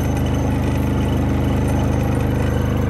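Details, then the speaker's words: New Predator 3500-watt inverter generator powering an RV air conditioner on high cool, not idled up: steady, even low drone with no hunting or surging; normal running under load. "so it sounds pretty good i think uh that is a win i can't believe that it's not even idled up or anything"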